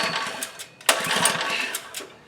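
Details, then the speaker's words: Relatively new Legend Force lawn edger that won't start, first pull with choke on: a quick pull-cord rattle and a sharp clack, then it spins briefly with no firing. Compression seems fine; cranks but won't start. "Pull the string. Compression. That seems fine. But yeah, it's not doing anything."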